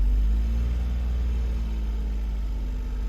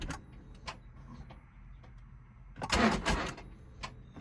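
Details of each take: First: 2011 Smart Fortwo after coolant temperature sensor replacement and cylinder 1 coil replacement, cold start at 31 degrees outside, no air filter fitted: low, steady, smooth rumble with no misfire stumble; idling normally, codes not yet cleared. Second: Smart Fortwo, cold after a 15-degree night, battery on charger: three short cranking bursts, each churning and trying to fire but never catching; cold crank no-start from faulty coolant temperature sensor.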